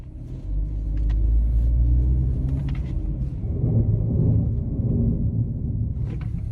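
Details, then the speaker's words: 2012 Chevy Equinox front brakes with no pad left, driven at about 5 mph and braked: a low, rough growling metal-to-metal grind; owner hopes the caliper pistons survived. "so that is the front brakes making noise so i drive like five mile per hour and step on the brake and you hear the growling noise and metal to metal contact"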